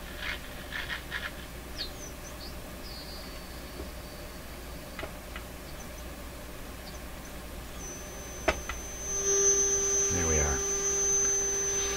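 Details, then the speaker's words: 1971 Sony TR712 transistor radio on bench power: a test tone meant to be 400 Hz comes out harsh and buzzy with a rasping edge instead of pure; clipped, distorted output, cause not yet found. "that's a supposed to be a 400 hertz tone this is what a thousand hertz would sound like clearly in my ears that's a uh clipped signal that's what that sounds like to me"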